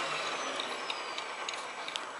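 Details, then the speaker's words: Vacuum-driven attitude/horizon gyro instrument bench-tested at home: high spinning whir falls slowly after vacuum off, with irregular light clunks of the rotor knocking inside. "hear it clunking around in there it's stopped yeah no no Gyros"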